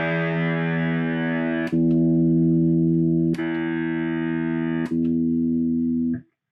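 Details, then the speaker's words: Ampeg Reverb Rocket after reflowing a cracked solder joint on the footswitch jack: held guitar chord rings through three sharp relay clicks as channels switch, no cutouts even when the jack is wiggled; no new parts needed. "we are successfully switching channels. It no longer is doing it with any kind of wiggling of the jack."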